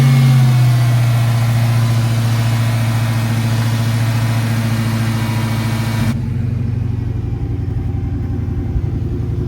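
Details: Dodge Hellcat Redeye, supercharged, cold start, owner suspected failed fuel pump: deep steady rumble with a few small revs, then abruptly cuts out after about six seconds; engine stalls.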